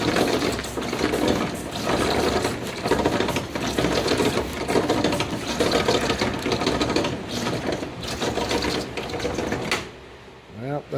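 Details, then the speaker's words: 1972 Plymouth Barracuda wiper motor: busy, uneven mechanical clatter for about ten seconds before a quiet stop, wiper not parking; wipes in the correct range and parks nine times out of ten; owner suspects the spring in the cam or the crank, possibly trim. "it works nine times out of ten now so hopefully that stays the case for now we're wiping good wiping action it's in the correct range now and then when I shot it off and spritz it again"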